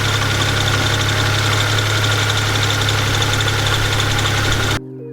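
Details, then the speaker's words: 1st-gen Toyota Tacoma bought wrecked, started in the cold: steady, even idle with a smooth regular beat and no knock or rattle, then shut off; sounds healthy. "so let's stop talking let's fire this truck up listen to it purr get in out of the cold and get to work"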